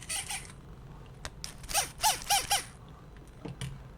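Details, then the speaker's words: Short, sharp, high squeaks in quick bursts as a Sony WM-EX505 walkman tape mechanism turns, reassembled without lubrication; the metal-on-rubber bushing is dry and needs oil. "Hopefully after I will put some oil we won't have this sound, so I want to demonstrate you how important it is to lubricate very well all the bearings, the bushing, I don't know how to call this, I think it's kind of bearing."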